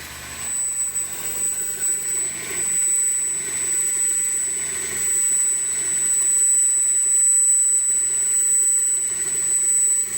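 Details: 1999 Chevy Prizm / Toyota Corolla 1.8L idling: piercing steady high-pitched squeal from the belt area, traced to a slightly rusted, damaged A/C compressor clutch sitting too close to its drive pulley.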